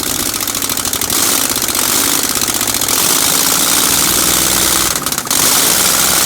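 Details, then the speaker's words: 1965 C10 with a 307 small-block V8, first start in 20+ years after reassembly, run briefly without exhaust manifolds: loud crackling bark with uneven, lumpy pulses; rough idle because ignition timing was wrong, later fixed. "Timing wasn't right, as you can see, but we fixed that."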